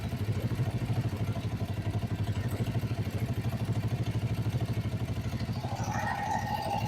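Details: Kawasaki Vulcan 500 twin idling during carburettor synchronisation after valve adjustment, "almost right": regular even throb about three beats a second, holding steady with a little whir near the end; balanced, healthy normal idle.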